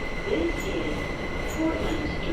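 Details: A train's wheels hold a steady high-pitched screech over the rumble in a tunnel, with sharper squeals flaring now and then: wheel squeal.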